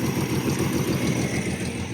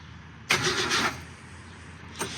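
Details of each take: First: Car sat about 17–20 years, first run without radiator, fuel spritzed in: even, steady low-rumble idle with no knock or misfire; runs smoothly, oil pressure 40–42 psi. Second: Car that sat almost 20 years, new ignition switch fitted, first crank with the key: short half-second crank and brief blip, no firing; crank no start from fuel starvation, clogged line keeping fuel from the carburetor.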